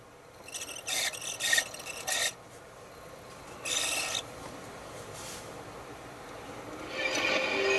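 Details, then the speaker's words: PlayStation console with Alien Trilogy demo disc: intermittent raspy scraping bursts as the disc spins up, then it settles once up to speed; drive a little squeaky but loading, so laser works; scrape cause not pinned down. "Ooh, that doesn't sound good, does it? But it is loading, so the laser must work."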